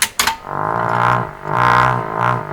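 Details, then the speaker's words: Ford Zenith 6MF780 6-volt car radio after full restoration, worked about 20 seconds then failed: slow rising-and-falling low putt-putt from the speaker, about two swells a second; motorboating. "Seemed to work fine for about 20 seconds, and then boom, it went away. It turned into something else. It turned into a motor boater."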